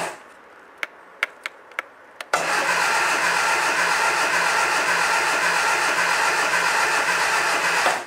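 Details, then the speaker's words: Second-hand Triumph Dolomite 1300 engine just fitted to a Gentry MG TF Replica, cranked with the HT lead disconnected from the coil to build oil pressure before first start: a few clicks, then even starter churning about six seconds, no firing; healthy crank. "So I'm now at the stage where I'm going to spin the engine over with the HT lead disconnected from the coil."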